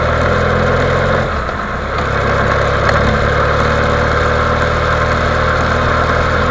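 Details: BMW F800 GS at steady idle: fast, light knocking at about four per second. Engine knock of unknown source.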